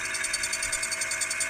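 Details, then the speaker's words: 1978 Furuno FE 300A 200kHz depth recorder/chart plotter, after cleaning and lubricating gears: recorder motor runs with light even high-pitched whir, no grinding, gear not engaged, spinning normally. "now it spins nicely and the gear is now not engaged"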